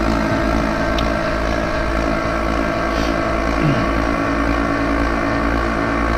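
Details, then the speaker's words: Clad Boy CB4 vacuum lifter suspended from a forklift on a Kingspan roof panel: after the lever is slid into the green zone, vacuum pumps drone steadily with a constant buzzer, no surging, as vacuum builds to green; normal running. "And as explained earlier, you simply slide this lever into the green zone, and you'll hear the buzzer running and the vacuum pumps"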